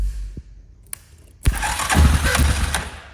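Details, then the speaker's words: ATV with a click, no-start problem, starter relay jumped to bypass it during testing: a couple of faint clicks, then the starter spins up strongly with a quick chugging beat and cranks properly. "so that turned over the starter so I've"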